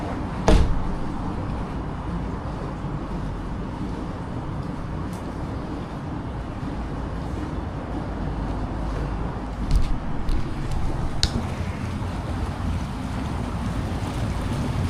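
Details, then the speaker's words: Spa air blower running after clearing lines, having previously stopped bubbling; steady low rumble and bubbling with only odd knocks around it, blower pushing air strongly and normally. "I gotta say, this thing's blowing like a motherfucker and it looks good to me."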